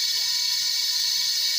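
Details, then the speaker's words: Kia Rio A/C compressor noisy, humming, not cooling. Thin, steady high hiss from service port with no oil or liquid, only air venting, so the AC system is empty. "So nag may friction na siya na mataas so maraming debris na maipon yun hanggang sa mag-back oil na so kailangan walang cut ito walang cut pinasukan natin dito sa na malinis so nakik nian hangin lang ang lumalabas wala nion"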